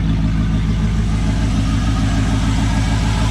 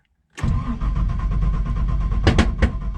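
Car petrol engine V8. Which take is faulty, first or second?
second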